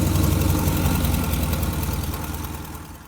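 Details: 1957 GMC 370 2-ton truck, original Pontiac 347 V8, revived after 20 years sitting, idling on its own tank: lumpy low idle with a sharp puffing tick about four a second before winding down; exhaust leak from blown donut.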